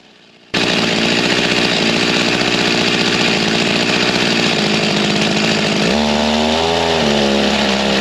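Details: G366 chainsaw after big carb swap, tuned to about 13,132 rpm: high scream holds, then pitch sags and wavers as it drops to low speed, falling on its face with no power despite spinning rpm; a part missed in the swap.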